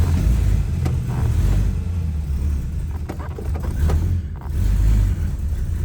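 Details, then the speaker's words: 1962 Dodge Lancer with an aluminum 225 slant six, long stored, started on the key: catches, then a low, slightly uneven cold rumble that keeps running steadily. Cold-blooded but a normal cold start. "all right let's see if what starts with the key okay still cold blooded it is a slant six they kind of all"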